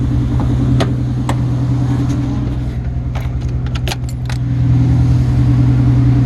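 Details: Engine at a Subaru dealership, just after an engine rebuild: it catches and settles into a steady, even low idle with no knocks or misses, keys rattling nearby. Healthy.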